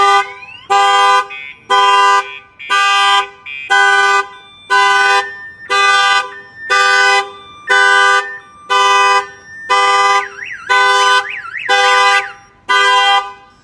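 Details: Newly installed Viper 5706V alarm on a Chevy Silverado (2003 spoken, 2013 in description), armed, door opened without disarming: horn blasts about once a second under a warbling siren; pager signals alarm, kill switch stops cranking until disarmed.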